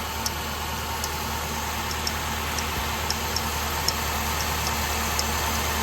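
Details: 2007 Nissan Altima 2.5L idling after oil cooler replacement and oil change, checked underneath for leaks (previously leaking heavily): steady even idle hum with light regular ticking, no knock or stumble; normal idle, no leaks seen.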